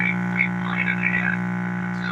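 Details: All American 5/6 tube table radio, volume down on a station: deep steady mains buzz under faint program sound; hum from a failed filter capacitor.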